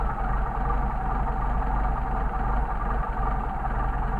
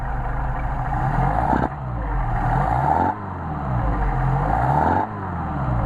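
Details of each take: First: Mercedes 190SL rebuilt Solex carburetors, adjusting the second carburetor's idle mixture screw from a 1–1.5 turn starting point until idle degrades. Low idle turns slightly uneven and loping, with air rushing into the throat; leaned idle mixture stumble. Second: Mercedes 190SL with rebuilt Solex carburetors, warmed up, synchronized and idle raised, linkage adjusted. Several clean throttle blips, each rising smoothly and dropping back to idle without hesitation, popping or flat spots; normal revving.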